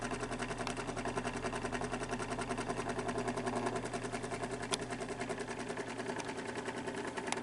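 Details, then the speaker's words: Fan motor with suspected bad bearings and excessive play at the rear hub: rhythmic scratching rub three or four per second with each turn over steady motor hum, seemingly from the back of the motor; motor not yet disassembled, cause suspected. "And the sound under a little more thorough investigation sounds like it's coming from the back of the motor."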